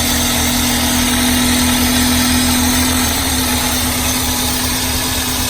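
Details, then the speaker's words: Car engine at idle with one fuel injector disconnected during a cylinder power balance test: idle turns lumpy with an uneven low thump about three times a second as that cylinder drops out; single-cylinder misfire. "See, now it's running the bumper. I mean, that cylinder won't work."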